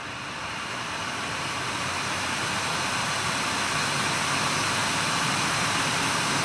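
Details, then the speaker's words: Nvidia GTX 980 reference card blower fan at 100% (about 4200 rpm): loud steady airy rush, even, no ticks or rattles; healthy, just noisy. "so one is one hundred percent like I told you it is around 4200 rpm"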